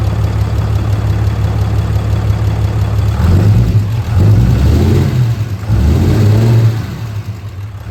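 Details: Fourth-gen 6.7L diesel pickup after DIY valve adjustment: steady low idle with clean rises in revs and smooth return, no knock or miss; runs well, though turbo actuator and grid heater faults remain.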